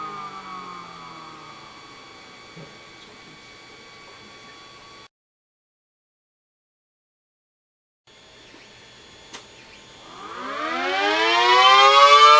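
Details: Mini SD10 siren after replacing rubber motor-axle part that rubbed motor bearing, plus motor cleaning and oiling; previously sticky and wouldn't reach full speed: after a pause wail climbs smoothly and quickly to full pitch, no drag or stall.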